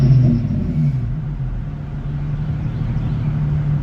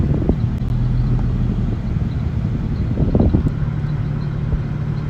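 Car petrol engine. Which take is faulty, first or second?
second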